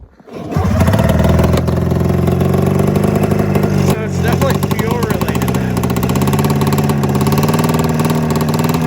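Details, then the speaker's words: 27-year-old Arctic Cat Mountain Cat twin two-stroke snowmobile with spark and a replaced coil: runs thin, light and uneven, like only one cylinder firing; misfire, owner suspects fuel delivery, fuel pump or carburetor floats. "I mean you guys can hear it too it sounds like it's running on one cylinder"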